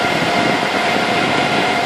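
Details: Supermicro 2U server running normally after power supply replacement with the cable plugged in: a steady, even rush of fans with a faint constant tone and no alarm beeping.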